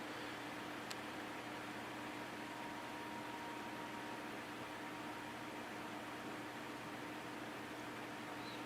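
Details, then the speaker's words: Air King PL20P vintage box fan with two-speed GE motor, dusty, before cleaning: soft, even whirr with a faint steady hum and a very long spin-down, no scraping or clicking; bearings turn freely, no oil needed. "it's a two-speed GE motor doesn't really need oil because it has a super long spin down time"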